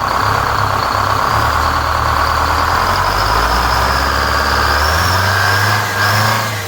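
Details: 4106 bus diesel after Allison V730 transmission swap, in shop before first test drive: steady even idle with constant high blower whine, settling smoothly; normal healthy idle.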